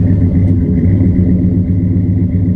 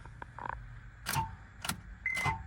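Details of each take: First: Auction V8 from a rear-end-damaged project truck that was apparently sorted mechanically, heard on an exhaust walk-around: a deep, even burble with a steady exhaust pulse and no knocks or ticks. It is a normal, healthy idle. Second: Auction vehicle, not expected to start, cranked to hear the engine turn over: just three dull clunks about half a second apart with no cranking rhythm. The starter engages but the engine is seized, locked right up.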